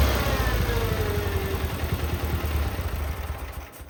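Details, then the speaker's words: Cub Cadet 682 garden tractor with Kohler KT17 twin, first start after storage: deep, even twin-cylinder thrum holding steady beat before fading down; runs smoothly, unusually good running KT17. "You don't usually get a KT17 in that runs this well."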